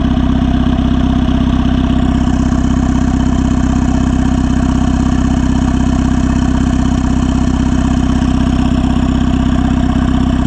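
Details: Turbo Honda Civic (R18 turbo kit) with open crankcase vent; steady even idle at about 190 pulses a minute, soft breathy note over the engine, no knocks or misses; normal idle.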